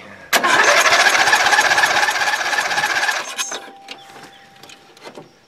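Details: Dynamark lawn mower sat since last fall, on little fresh gas after stale-smelling fuel flushed: catches and runs rough about three seconds, then fades and dies; owner suspects the carburetor or water in fuel.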